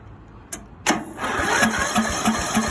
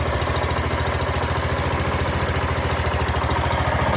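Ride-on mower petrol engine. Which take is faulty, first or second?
first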